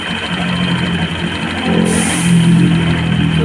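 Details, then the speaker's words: Scooter after drive rework with 13 g and 14 g rollers, before the new belt is fitted: steady, even idle with a smooth low hum and no slapping or rattle from the drive side; earlier noise now gone, and the noise came from the belt, not the engine. "Start natin susi. Natin kung wala nang start. Yun, parang wala na yung ingay niya, tahimik na siya."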